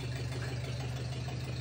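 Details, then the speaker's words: 1941 Ford 9N tractor, first start in many years after complete engine rebuild and rebuilt starter generator, oil pressure present, not charging yet: steady, even low-pitched idle with smooth beat, no tapping or knocking; healthy. "today was the first time i got it running i had rebuilt the starter generator as you can see i have oil pressure it was a challenge to get going in the beginning it is not charging at the moment"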